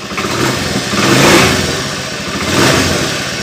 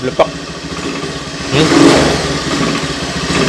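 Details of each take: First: Honda Beat FI scooter after reconnecting a peeled white wire: engine revs cleanly twice and settles, no sputter or stall; previously it sputtered on throttle and died when taken off center stand. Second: Honda Beat FI scooter: engine sputters and stumbles on throttle, still misfiring after cleaning; a burnt, peeled wire was found as the likely cause and was to be repaired.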